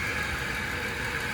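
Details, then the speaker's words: 2004 Ford Explorer at idle after rattly start-up: steady idle with thin high whine from front accessory pulleys plus slight engine noise; pulley source suspected, not confirmed; accessory pulley noise at idle. "pulleys in the front along with slight engine noise."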